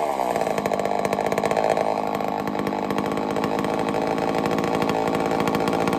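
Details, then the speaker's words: Homelite Super XL-923 82cc chainsaw, first test fire after tuning: a little rich on the low speed, but a loud, steady high-pitched two-stroke buzz holding even speed with crisp firing and no stumbles or surging; runs well. "She tuned right up pretty easy. Got a little rich on the low speed, but I'm very surprised. She's loud though. Holy cow, she loud."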